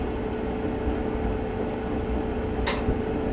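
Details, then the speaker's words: Whirlpool LGB6200PQO gas dryer on high heat after gas coil repair and blower housing reinstall, igniter lit with flame: steady low drum rumble and soft hum, one brief whoosh, no shakes or rattles; normal operation. "everything sounds good there's no shakes or rattles"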